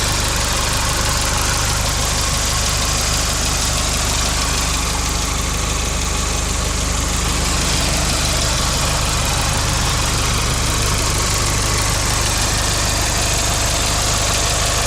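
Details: 1998 GST petrol engine idling: steady idle with light regular tick about three per second; lifter tick suspected, not confirmed.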